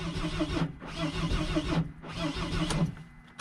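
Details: Mercedes Sprinter diesel van after a new fuel tank and fuel pump, run with glow plugs. Three cranking bursts with even compression chugs but it never fires; the starter seemed to be malfunctioning and diesel later sprayed out.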